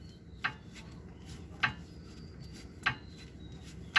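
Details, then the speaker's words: Toyota Avanza, front right: four sharp metallic clicks as the tie rod end is rocked by hand; worn, very loose tie rod end causing the clunk heard when braking, initially suspected as brakes; to be replaced. "Yan pag pumepreno 'yun ang naririnig nila. So napakaluwag nito."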